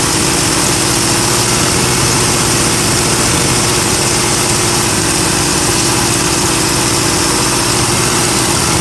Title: Possible Intake Vacuum Leak